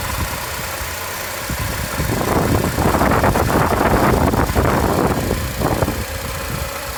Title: 2007 TSX engine rattle